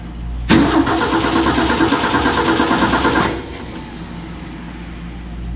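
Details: 1965 Ford F250, 300 six-cylinder, 4-speed manual, parked about 17 years, cranking with the coil wire off the distributor for a spark test: steady, even crank about three turns a second for nearly three seconds, no firing; cranking healthy.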